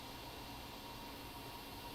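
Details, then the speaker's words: 2012 13-inch MacBook Air A1466 with the DC-in board cable unplugged, which removes the heat pipe in/out sensors; constant high airy whoosh with a faint steady tone as the fan runs at max and the boot stalls before login. "may not be a whole lot longer but definitely hear the fan spinning on max"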